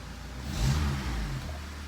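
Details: 2003 Honda CR-V after timing chain repair, restarted with no codes: clean quick blip, revs rise smoothly and settle to a quiet even idle with no rattle or chain noise; normal, owner suspects a small rear exhaust leak.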